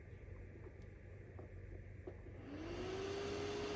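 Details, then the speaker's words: Portable Chinese diesel heater in an overland case, first start-up: light ticking and clicking at first, then a computer fan spins up into a smooth, slowly rising steady whir; normal fan start. "as you fire it up it starts clicking and popping and making noises the sound that you hear is our computer fan firing up"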